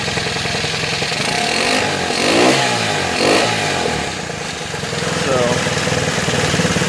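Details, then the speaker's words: Honda ATC110 ("Mater") after a head swap with a different piston and jug, fired on the third pull: single idles and blips up and back down cleanly, firing evenly with no knock or misfire. Healthy. "but mater's back together so completely different top end right it took three pulls no to fire it up"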